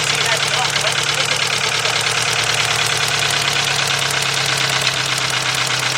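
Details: VW 2.0 engine running rough after a fuel pump change, plug wires crossed: hissy idle with an uneven stumbling beat of about three pulses a second; cylinder 1 misfire, not the plug wire.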